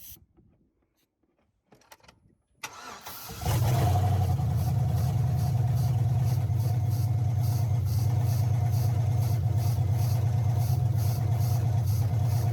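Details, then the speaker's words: 2005 Chevrolet Suburban LS V8 donor, first start attempt without throttle: starter cranks at a steady even rhythm about three turns a second and never catches; cranks but won't start, judged not getting fuel. "okay we know what it is not getting fuel"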